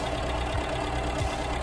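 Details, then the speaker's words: Ford Escort Mk3 after oil, points and condenser service, timing being set: steady even idle, smooth low rumble, no knocks or misses, timing mark jumping around a little near 4; normal idle. "it's kind of around four jumping around a little bit for some reason sounding a lot Health"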